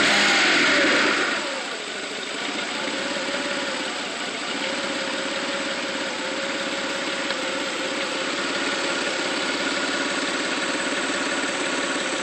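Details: 1995 GT: engine catches and settles into fast, slightly uneven idle with ragged pulse about three beats a second; stumbles on throttle then revs with misfire-like feel, slow acceleration; rough idle, cause unknown.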